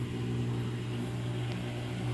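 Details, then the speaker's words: Samsung washer with 5E drain code, spin-only cycle: steady low hum of the drum spinning with the pump draining smoothly, no rattle or scraping; running normally. "oh that thing sounds good there's no rattle to that at all i don't know why these new samsungs have all that pause to them"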